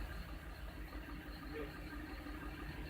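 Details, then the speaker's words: 2005 Audi A6 saloon at idle, check engine light on: rough uneven idle stumbling about three times a second; scope shows coil 3 not firing, bad coil suspected over poor ECU control, not confirmed. "Coil number 3, nothing. So basically, either we have a bad coil or poor control of this coil by the computer."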